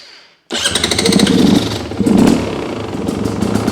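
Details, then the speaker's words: New 2026 Beta XTrainer 300 two-stroke, idle untouched from factory, started on choke; crackly, uneven burble that sags between blips and won't idle unassisted; factory idle speed set too low, screw adjustment needed. "So, I've got to help it. If I let go, it doesn't want to idle. So, that's right from the factory."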